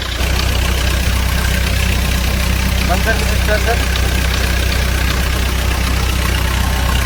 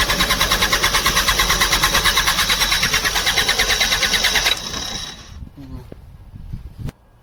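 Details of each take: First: Bobcat diesel loader that would not start because the fuel pump had no power, after replacing a blown 15 A fuse so the pump works; steady, even idle with a low, unbroken rumble and no knocks or misses. Normal idle. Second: Bobcat diesel loader: fast even starter churn, about three beats a second, never catches; fuel pump getting no current and not passing diesel, so no start.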